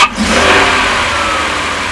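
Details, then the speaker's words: V8 (doghouse removed, engine exposed) with rough, occasionally loping idle; sharp intake suction hiss instead of smooth acceleration when throttle is cracked hard, suspected vacuum leak causing lean condition, to be checked with smoke machine. "you can hear that sharp suction instead of a smooth acceleration."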